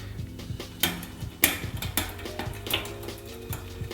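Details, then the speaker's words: Shimano XT Shadow Plus clutch rear derailleur, shifting from 10th to the last cog after backing the high limit screw out about 3/4 turn: freewheeling chain ticks, then a few sharp clicks as it drops slowly and hesitantly; high limit still needs adjusting. "okay it went down but gave me a couple clicks a little little slow little hesitation um so a little hesitation could be a foreseeable problem"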